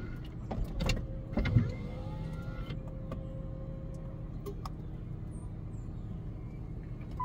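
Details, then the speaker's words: Power convertible top lowering in non-cargo mode: motor hum with thin squeaks and scattered clicks, including a spring click on one side, from dry moving joints that need lubrication. "so we're going to put the top down and we're going to listen here there's already squeaks"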